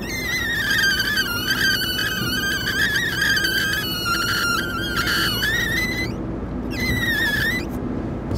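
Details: Smart 453 while driving: a thin, wavering whistle rides over road noise, cutting out and returning as the windshield is pressed, suggesting a loose windshield seal; the owner says it depends on weather and is worse when cooler.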